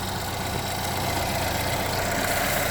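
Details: GMC Terrain with code P0011, idling: even, steady hum with no ticking, knocking or surging. It runs smooth and sounds healthy.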